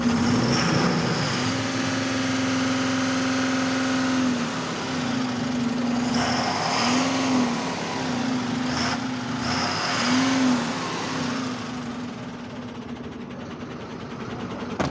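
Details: Ashok Leyland BS6 5525 AN diesel truck engine at full rpm: big diesel held high with a steady strong drone that dips and recovers as throttle eases; even and clean, sounds healthy.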